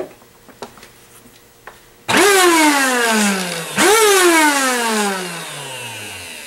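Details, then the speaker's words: Eureka Airspeed One vacuum cleaner running too loud, isolated to the motor: starts twice, each time a harsh high whine spinning up then sagging in pitch; fault traced to the motor. "sounds very loud so now we got to get to the motor"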